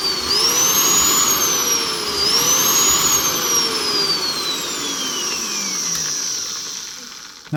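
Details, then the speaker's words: Magnetic drill that switches on and off as the handle is moved up and down. The motor whine spins up, sags, then spins up again about every two seconds: intermittent motor cut-out. "that's an odd one. She's switching on and off when you move up and down the handle. But strange. Not what you want."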